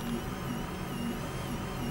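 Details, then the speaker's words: Toyota Corona Premio 7A-FE lean-burn losing power and sneezing: thin, wavering whine over low hum as the electric fuel pump runs intermittently, gauge needle twitching; lowered voltage with fan on, alternative pump wiring tried. "видим стрелочка у нас дергается бензонасос у нас шумит прерывисто"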